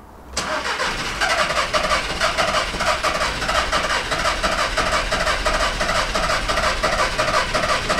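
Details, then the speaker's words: VW Caddy diesel van that won't start, after replacing a rail: long churning crank with an uneven beat about three times a second that never settles into idle; fault code cylinder 4 glow plug control circuit low, owner doubts it's the cause. "now something's still not quite right there ah scratchy head moment"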